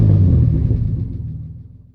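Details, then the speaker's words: Turbo 3800 Camaro with newly built full 3-inch exhaust (muffler/resonator), first start with new serpentine belt setup; quick light blip to about 2,000 RPM settling into deep smooth rumble, quieter than pre-turbo; normal rev. "That was maybe 2,000 RPM. A little higher than I probably should have gone, but hey, it worked out. And it's not that loud."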